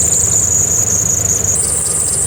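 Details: 2009-2014 Dodge RAM 1500 5.7L HEMI V8 at idle: piercing steady high serpentine belt squeal over the low idle, rising slightly in pitch; re-seating the belt didn't help, fixed by replacing belt and tensioner.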